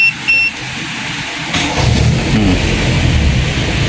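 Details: Toyota Corolla 2E engine, hot restart without pressing the gas after discussing the fuel cut-off solenoid on the carburettor primary circuit: short crank, engine catches quickly and runs steadily; hot start now normal.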